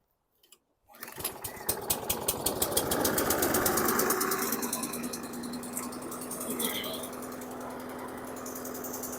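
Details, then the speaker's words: 2014 Troy-Bilt TB130 push mower, needing air filter and oil change, just started cold: fires at once into a heavy, slightly labouring steady run with black smoke; running rich because the automatic choke hasn't opened. "you can really see the black smoke this thing is running really rich I can see the choke hasn't opened up yet"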